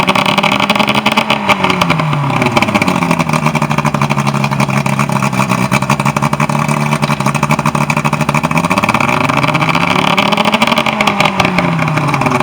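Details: Lowe boat with Evinrude 120 outboard, service drive after a no-start issue: runs smooth and even underway, revs climbing and dropping cleanly with no misses or knocks; normal running.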